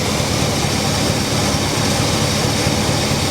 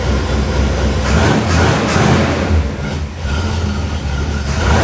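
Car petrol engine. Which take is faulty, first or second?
second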